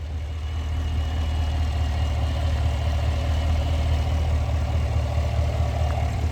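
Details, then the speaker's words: 2018 Cadillac Escalade V8 after DOD delete (BTR cam, LS7 lifters), fixing bent pushrod and collapsed DOD lifter tick, with shorty headers and Magnaflow muffler: smooth even idle, no ticking, no codes, good oil pressure. "Nice and quiet. No codes. Good oil pressure."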